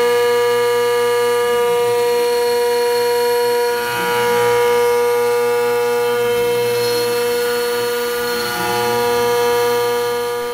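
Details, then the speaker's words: OpenBuilds MiniMill CNC router cutting aluminum after upgrades, including larger bellows: steady spindle tone with an even cutting hiss and no chatter, and the vise handle no longer bouncing; the machine now cuts smoothly. "if you listen to this, it finally sounds fine. Like, it sounds much better. It just sounds like cutting, which is what you want to hear."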